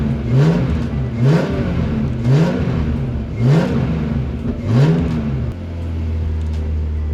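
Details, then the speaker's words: BMW E46 328Ci drift car on its first start test after a Walbro Motorsport 255 L/h fuel pump was installed. Five quick throttle blips each climb and drop cleanly with no stumble, then it holds a steady, even idle. It was perfect on a short test drive. "bien c'est un succès je suis même allé faire un petit tour et c'est parfait tout est nickel"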